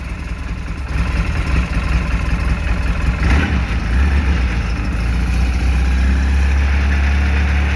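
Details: 2013 Polaris RZR 800S 2.0 after engine rebuild, first start with coolant filled, held around 3,000 rpm for break-in heat cycle: steady fast idle, smooth deep even note, no valvetrain ticking or knocking; normal running.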